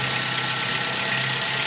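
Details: Recently bought VW Gol G4 with a loud engine noise when revved, recorded with the phone left near the engine; a mechanic said it needed decarbonizing. Quick, even ticking over a sharp, hissy background; cause unclear.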